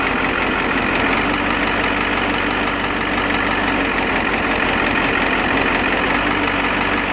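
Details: Ford 7.3 IDI turbo diesel, warm idle after new injection pump and injectors: sharp tick-knock through the clatter that stops when the number 7 injector line is cracked. Single-mass flywheel chatter is also present, and coolant and oil are mixing.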